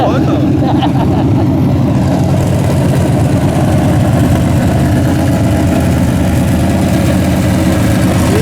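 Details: Freshly rebuilt 406 small-block V8 with open plenum, during 15-minute break-in at about 5 minutes: loud steady raised idle, firing evenly without ticking or knocking; healthy, snappy, may need a bigger carburetor.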